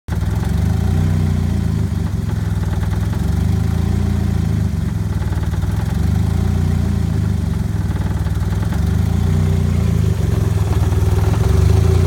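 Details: Turbo 1994 Mazda Miata, just bought: low, lumpy, stumbling idle that sags as if about to stall, nearly dying at stops. The exhaust manifold next to the turbo leaks heavily, and the owner suspects the engine is suffocating. Unconfirmed.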